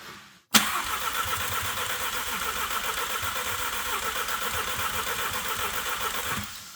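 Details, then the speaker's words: VW Golf R with engine and transmission damage, freshly filled with oil: starter cranks at a steady, even pace for about six seconds but engine never fires; crank no start. "But yeah, it's definitely not starting. It sounds good, though."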